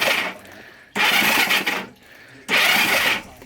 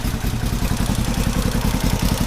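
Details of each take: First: 1970 Honda CB450 whose cylinders and oil filled with gasoline from a petcock left on reserve, WD sprayed in: cranking with no combustion gives sharp hissing spurts about every 1.5 seconds as fuel is expelled, mostly from the left cylinder. Flooded cylinder. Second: 1970 Honda CB450 twin after fixing gasoline that leaked into the engine oil from a petcock left on reserve, with the paper air filter replaced by foam. It revs with quick, even firing and no clatter. Normal running.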